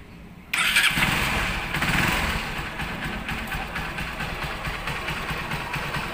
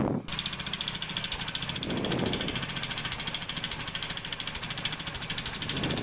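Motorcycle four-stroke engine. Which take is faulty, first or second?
second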